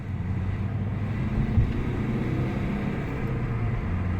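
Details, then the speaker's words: Ford Mondeo Mk4 1.8 diesel, previously in limp mode with fault P2263 (turbo boost performance) and no power, after carbon cleaning and about 15 miles of driving: deep, even drone pulling cleanly under load. Full power, though not yet 100%. Normal acceleration. "Look at that. Plenty of power there. Nothing wrong with that. where before it was completely and utterly seized."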